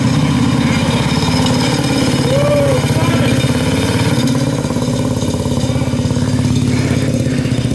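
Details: Predator 212 engine (hot-built, flat-slide carb, clear valve cover), pulled from a collapsed shed after years, runs with an even, steady single-cylinder thump at fast idle, no misses or knocks; running healthy.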